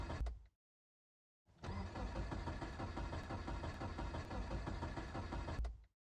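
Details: Car on a cold morning: the starter cranks at an even, steady beat for about four seconds, but the engine never catches or fires. Crank, no start.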